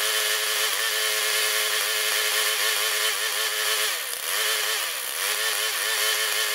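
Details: Older Murray mower, 158cc Briggs & Stratton Classic, started with a squirt of fuel after moving the throttle spring: high buzzy drone with brief sagging stumbles, missing and rough; owner suspects dirty carburetor, still checking for an electrical fault.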